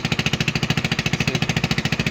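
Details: AXXO Viper 180cc scooter at idle: sharp, even puffing ticks about twelve a second over the idle, hard pulsing chuff; exhaust leak from loose exhaust bolts and joint, before retightening and gasket replacement.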